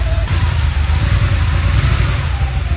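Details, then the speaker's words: 1986 Porsche 911 Targa, first run after more than a decade in storage, with new fuel pump and battery but plugs not yet changed. Low, lumpy exhaust drone with an uneven pulse under light revs. Runs but still rough; cause unconfirmed. "Yeah, she ain't running bad though. 86 Targa, a little rough, but I mean, it still needs some TLC."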